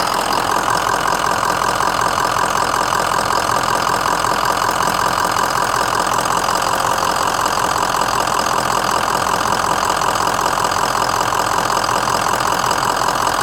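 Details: 2004 Ford Excursion 6.0L Powerstroke diesel, 118k miles, mechanically stock, new injectors and FICM, at idle: even, steady diesel clatter, no hiss or puffing from the crankcase; no blow-by; normal idle.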